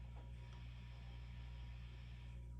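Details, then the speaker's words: Sound City L100W Mk III 100 W tube amp (12AX7 preamp, EL34/KT77 output); steady low mains hum with faint buzz from all four incredibly noisy preamp tubes. "So for certain, we have an issue with these preamp tubes. All four of them are incredibly noisy."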